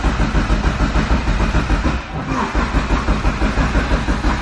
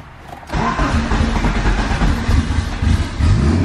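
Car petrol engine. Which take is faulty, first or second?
first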